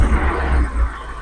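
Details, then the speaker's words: Espass 1600cc CNG car fitted with a Poligas low-pressure regulator in place of a high-pressure one, with one vent hole left open: a low rumble sags and dies as the throttle opens; engine stalls on acceleration, and the owner suspects too much air. "Lihat, itu akan mati, teman-teman."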